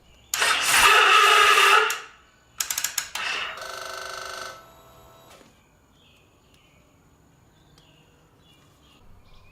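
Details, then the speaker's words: Victory Magnum motorcycle under rebuild: short bursts of thin starter whir and clicking between pauses, no catch or firing; battery just died and there isn't the 12 volts needed to start. "we don't have quite enough voltage to get this thing started we need 12 volts at least"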